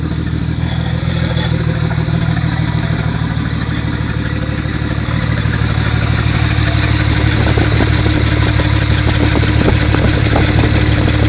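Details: Mk3 Toyota Supra at almost 100k, idling: a dull, deep knock about three times a second over a low rumble; rod knock from a worn rod bearing.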